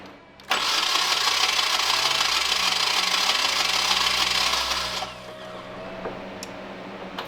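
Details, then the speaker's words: 1991 Nissan 240SX engine, project car being revived: harsh, uneven cranking for about four seconds with a lopsided beat and no catch; zero compression on cylinder 2 while fuel and spark are confirmed. "Oh boy. Your motor has 0 compression on cylinder 2 at least."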